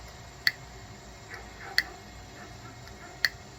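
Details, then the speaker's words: 2013 Nissan Sentra SV transmission valve body on the bench during teardown: a solenoid energized by hand with a wire gives sharp single clicks as it actuates. "Hear that? Okay, that one's fired."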